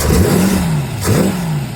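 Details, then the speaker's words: Small-block Ford V8 after swapping the stock points distributor for a Proform HEI distributor, timed, on a cold early morning. Throaty revs blip up and settle back smoothly with no miss or clatter; it runs healthy. "This is the finished product. It's all wired in. I timed it. Runs really good. Love it. All right, this is what she sounds like."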